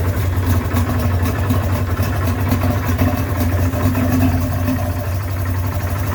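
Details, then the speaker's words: 55hp Johnson two-stroke outboard after teardown and rewiring, first start: low, uneven burbling idle with a slightly lumpy beat; started better but still idling rough, carbs need adjusting. "all right well i would say that sounds a lot better we've got more of that blah sort of sound going on i think it's i'm not going to say it's fixed but play around with the carbs a bit we'll see if we can get it to idle better"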